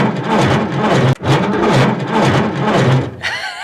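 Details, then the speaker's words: 1950s Caterpillar TraxCavator track loader, not run in a very long time, on a battery hookup with poor-looking cables: slow, laboured cranking at about two compression pulses per second, no start; owner thinks it needs to spin faster. "go all right doesn't sound good but she turns over I feel like it probably needs to spin faster to start but we're not going to worry about that right now"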